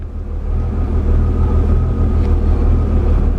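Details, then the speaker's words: Mercedes W201 190E replacement central locking/orthopaedic seat vacuum pump (part A1248002848) running to inflate the seat back; even low hum with faint steady whine, no knocks or surges, operating normally. "feel the seat back inflating with air."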